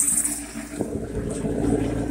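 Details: Chris Craft boat, Chevy V8 Cruiser 260 inboard, running on the hose after new shifter, cabling and shift assist: steady even idle with one soft thunk into reverse, no grinding or hesitation; clean engagement.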